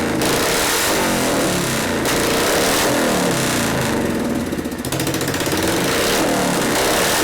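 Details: 1973 Harley-Davidson FX 74ci Shovelhead after a frame swap, first start: big V-twin settles into a steady lumpy lope at about three and a half beats a second, running clean and even. Idle circuit may need carburetor adjustment or cleaning.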